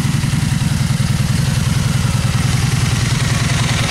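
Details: 2002 Honda Magna V4 motorcycle idling in neutral after a carburetor rebuild, new in-tank fuel filter and fresh fuel: deep, even burble with a steady low thump and no misses or clatter. Idles cleanly.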